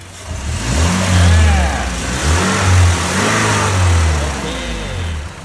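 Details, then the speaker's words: Toyota van, 2.7 VVTi petrol with factory CNG, heard at the rear exhaust after replacing the ignition coil on petrol: clean revs rising and falling with no misses, replacing the earlier stumbling; normal running restored. "นี่นะครับเสียงท่อกลับมาเป็นเหมือนรถปกติแล้วนะครับ"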